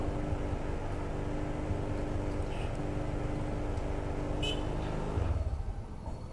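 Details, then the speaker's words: Honda Click 150i scooter losing idle: starts fine, revs strong, then idle turns rough and uneven, sags and dies; stalls when stopped at stoplights, idle adjustment didn't help. "na ayan wala na patay na so yan ang sakit niya ndrive pa naman siya pero pagka nagmenor ay pagka nasa stoplight doon tayo nadadali"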